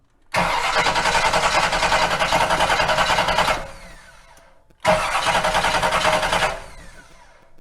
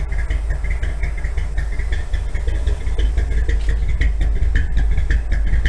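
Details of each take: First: 1957 Chevy V8 after sitting for years, first try with a little fuel poured into the cylinders: two bursts of steady cranking at about three and a half turns a second, never catching. It acts like there is no spark; suspects are coil wiring or the high-performance starter. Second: 1957 Chevy V8 after carburetor float apparently came unstuck: deep, throbbing, lopey cam idle, steady and strong, 35 psi oil pressure at low rpm, temperature low; normal idle.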